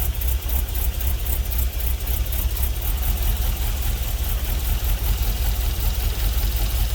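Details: LS-swapped GMC Vandura on its first start after the computer was flashed: deep, even V8 rumble with a steady beat and no knocks, misses or hunting; healthy idle, no leaks, cooling system not yet bled.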